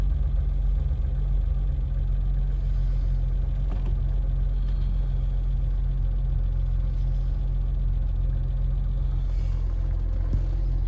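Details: BMW E30 petrol engine: a loud, dull, slow knock begins at 2000 rpm and disappears above 2500 rpm until it returns to idle; the cause was valve timing slightly off, resolved with a new timing belt.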